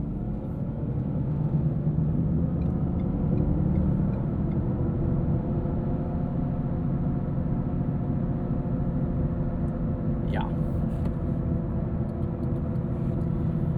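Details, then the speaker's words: 2017 Ford Fusion Sport, 2.7L twin-turbo V6, 6-speed automatic, AWD, 111,471 miles, on 235/40R19 Goodyear Assurance tires, cruising: steady low droning hum under the cabin; unsure whether tire or wheel bearing noise. "n't know if it's a tire noise, if it's a wheel bearing noise or what, but uh it's impossible to not talk about it because you'll hear it here."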